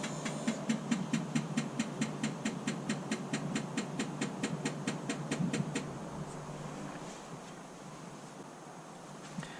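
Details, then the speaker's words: DAF LF truck after leaking clutch slave cylinder replacement, engine off, park brake on: crisp even clicks a bit over two per second for about six seconds, then quiet; clutch actuator cycling normally during diagnostic purge. "So it's purging the actuator now. You can hear it clicking."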